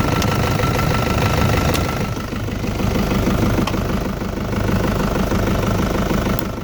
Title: Пуск ЗД после ночного простоя. Стук клапанов?